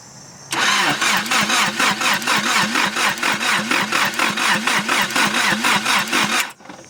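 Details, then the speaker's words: Nissan S12 Silvia turbo, first start after engine reassembly, firing order 1-3-4-2. Sparking. The starter churns steadily at about three and a half compressions a second for six seconds with no firing. Crank no start from cam timing 180° out. "sparking but I don't know why it's not working the fuel pump wasn't running it's just sort of hardwired that you can hear it now once I turn the key not starting for some reason maybe it's not turning fast enough I don't know"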